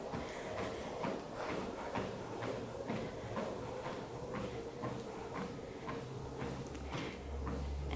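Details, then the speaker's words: Wellfit TM029 compact treadmill being slowed down: steady footfalls about twice a second over a soft motor hum that eases as the belt slows; normal operation. "All right, I'm going to bring it back down so I can show you that incline."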